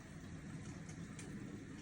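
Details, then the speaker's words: LG direct drive dishwasher after replacing a shorted, corroded direct drive motor (circulation pump) that had tripped the breaker and been noisy during the wash. Now a steady even hum with soft water hiss and no grinding. "Right now, the new circulation pump or the direct drive motor is in the dishwasher and it's working like a champ. There is no more issue right here."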